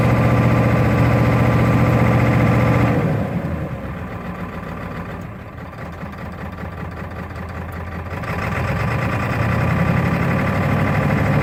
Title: 1996 F350 7.3L rough idle